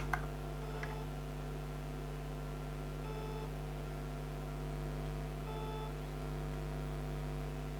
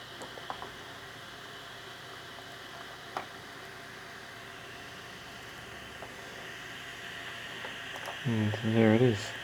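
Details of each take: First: Failed Seagate Barracuda 3TB drive on its SATA base, powered up: a steady low spindle hum with a few isolated clicks, scrapes and brief chirps as it keeps cycling and never comes ready; cause unknown, owner doesn't believe it was dropped. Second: Old 80GB Seagate Barracuda 7200 RPM drive, plugged in via USB hub: a faint steady high whine under room hiss with no clicks or scraping; spinning and idling normally.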